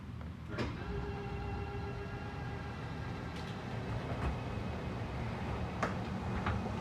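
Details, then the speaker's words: 2022 Jayco Eagle HT 29.5BHDS travel trailer slide-out retracting: even electric motor hum with a faint steady whine and soft clicks as the room moves, then a scary-sounding noise at full extension that is normal. "also that scary noise that is normal it just means you're fully extended so don't be afraid if you do hear that noise"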